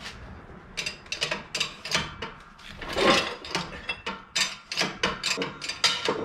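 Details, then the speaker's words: 1961 Chevrolet Bel Air wagon rear axle rebuild, bearing pressed on in a shop press: rhythmic creaking strokes about two a second under steady load, no grinding or popping; pressing smoothly so far. "Well, so far she's pressing smooth as butter."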